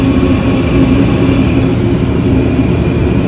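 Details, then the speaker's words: Gas furnace after hot surface ignitor replacement: a click as the blower motor kicks on, then a steady even hum and airflow rush at a constant low tone, with no rattles or squeals; the blower runs smoothly and the furnace is fixed. "There's a click for the blower motor."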